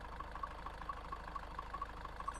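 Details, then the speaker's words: High-mileage Range Rover Evoque, engine running and shaking badly: rough, heavy rumbling idle with a light, even ticking on top; owner rules out engine mounts and suspects a seized dual mass flywheel. "I think that jeel mass has got to be seized up so dual Mass dual Mass F Wheels should move around they should move that way and that way to stop the vibration"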